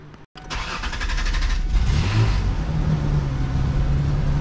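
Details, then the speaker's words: 2004 Ford Ranger Tremor, after replacing injectors and injector seat O-rings: it cranks, catches and settles into a low, slightly lumpy idle that sounds like it is missing. Hesitation persists and the overdrive light is flashing; rough running, cause unknown. "all right kind of running a little rough coolant temp gauge is now working though overdrive light's still flashing so I'm still getting that hesitation you can hear it right here just sounds like it's missing or something"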